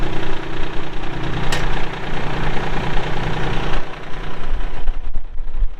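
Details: 2022 Kubota L3902 4WD gear-drive tractor with loader, 107 hours: even diesel clatter at a steady low idle, no misses or knocks standing out; healthy engine running normally.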